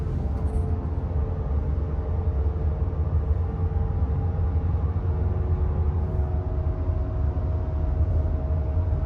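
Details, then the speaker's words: 2019 Subaru WRX STI on 18-inch wheels with Michelin Pilot Sport 4S tyres, driven above 60 mph on the highway: steady buzzing drone over road noise that rises in pitch with speed; owner suspects a damaged rear wheel bearing. "so you can hear that buzzing drone happens as soon as I get above 60 miles an hour and it's most likely a wheel bearing and I think it's coming from the back of the car and you can hear it change its pitch when my speed increases"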